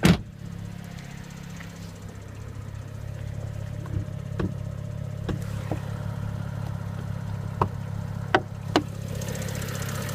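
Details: BMW 335i with the N55 engine at cold start: a steady low idle with scattered sharp ticks and rattles at irregular intervals. Source not yet identified.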